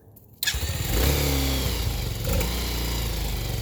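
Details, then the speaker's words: 2020 Vader Gen2 single-cylinder, first start after unboxing, fuel petcock on, no choke: starter catches within a second and settles into a steady, even putter with no misses; idle to be adjusted once warm. "There it is. I'll adjust the idle and everything once it warms up."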